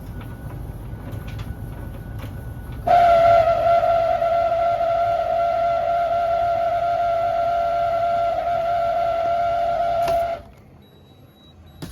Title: Beko DSX83410W condensing tank making awful lot of loud noise